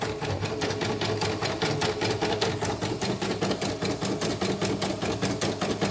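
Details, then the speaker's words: CNY embroidery machine no. 34 test run after replacing parts that made the frame bang; steady, even needle clatter at about a hundred stitches a minute, no knocking or binding: normal operation. "Ini lancar, bagus."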